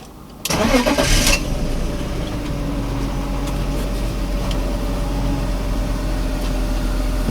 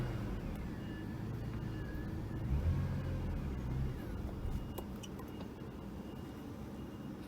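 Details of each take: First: 2001 BMW E39 525i with intermittent no-start and cutting out, after fuel pump and sender removal and hose fix: fuel pump audible, cranks, catches quickly, settles to even idle, two clean revs without stumble; non-start problem solved. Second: 2001 BMW E39 525i starts, runs rough about a second then dies, intermittent no-start and cut-outs while driving; fuel delivery suspected, fuel pump and sender being checked.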